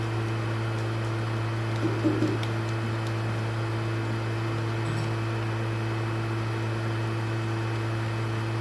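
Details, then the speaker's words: PlayStation 3 bought on OLX that is too loud and shuts itself off: steady, loud, low turbine-like fan drone with a constant hum and no pitch change; the cooling fan runs much louder than normal. "Mas na moral, que turbina, hein?"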